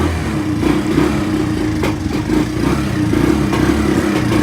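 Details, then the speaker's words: Free, long-sitting Kawasaki Bayou quad that smokes a bit and won't electric-start, running roughly with an uneven, stumbling single-cylinder beat and surging revs; owner plans to remove the carburetor next. "Not running the best, but it's running."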